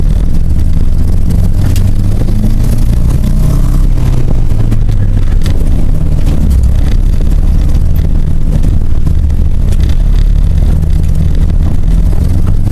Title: cap'n misfire